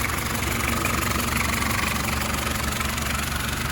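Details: Citroën Berlingo 1.9D diesel after worn bottom crankshaft pulley replaced (110 Nm): steady, even idle with smooth, regular clatter, no dragging or rubbing; engine sounds healthy again.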